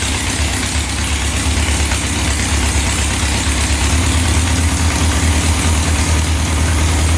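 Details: 1967 Volkswagen dune buggy, non-runner revived: loud, slightly uneven lumpy idle with steady low drone, smoking; automatic choke not turning off, stuck on and running rich; owner expects it should open once engine warms.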